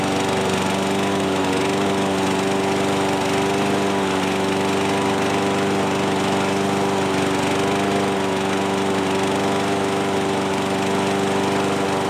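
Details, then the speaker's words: John Deere 14SB push mower, trash find, at half throttle with carb only removed and inspected: small single-cylinder buzz with an uneven, hunting beat; runs rough, the carburetor most likely needs a rebuild. "so the carb more than likely needs to be rebuilt that doesn't surprise me"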